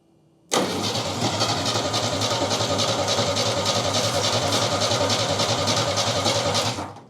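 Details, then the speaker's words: 1969 Chevy half-ton pickup engine, fire-damaged and sitting about 40 years: fires up and runs with an uneven, lumpy pulse about three beats a second, then dies. It runs poorly; the carburetor needs a rebuild, and its accelerator pump is rock hard and won't work. "It doesn't run real good, but it runs. It needs a carburetor carburetor rebuild."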